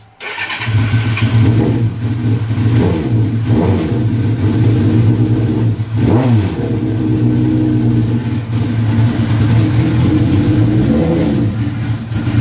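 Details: Suzuki GS1100E Mr. Turbo, first run since 1996, on choke: deep idle with blips rising and falling cleanly, no knocks; sounds fine, jetting still to be set on a dyno.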